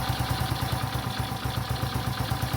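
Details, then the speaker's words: Lifan 110 semi-automatic engine swapped into a Honda C90 and converted to kick start: steady single-cylinder putter at a relaxed idle that settles lower as the idle screw is backed out, nothing irregular; idle lowered by idle screw adjustment. "Right, so there's your screw, as you know. Yeah. Now undoing it is fine. Hear it come down."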